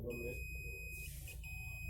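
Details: Qantech SSA6-12V02A24 12V 2A adapter with no power: the multimeter gives a continuous high tone across the diode with barely a break, so the diode is shorted and needs replacing.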